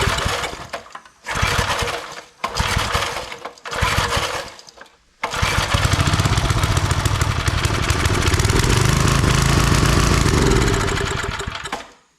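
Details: Old Briggs 5 hp single-cylinder on free homemade wood splitter, loose choke: several short pull-start bursts, then catches and runs with uneven, hunting beat; only runs on choke, owner suspects dirty carb.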